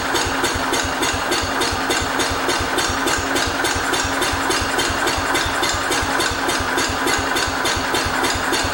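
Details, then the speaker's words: 1968 Cub Cadet 122 with 12 hp Kohler single, spark confirmed good, running on fresh fuel: runs briefly at a fast, uneven idle of about three and a half beats a second, then fades; owner suspects fuel starvation or the carburetor. "let's see if that fixes our problem there we go so it's either carb related or it's not getting enough fuel I really think it's just not getting enough"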